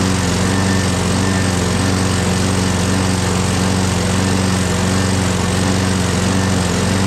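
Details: Craftsman 6.5HP Briggs Quantum FWD mower after magneto replacement and carb clean, primed and electric-started: steady, even single-cylinder drone at constant speed, no stumbling or surging. Owner notes an unexplained clanking and priming needed every start.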